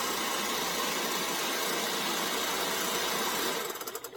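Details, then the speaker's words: Refrigerant recovery machine pulling residual freon from a Sub-Zero 427R wine cooler (unit off) into a charging column before the evaporator coils are cut out: steady, even, hiss-heavy motor run, no knocks or rattles, then winds down; normal, system later reaches 28-29 in vacuum. "So let's turn this on. It's still in a vacuum and the unit's off, so let's turn it on. Open up the gauge. Let that run for a while."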